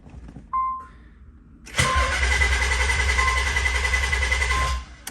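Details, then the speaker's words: Car with fuel pump control module bypassed by wire: chime then about three seconds of even cranking that never catches, as the connector was left unplugged so the fuel pump had no power. "dummy i didn't plug in the connector whoops"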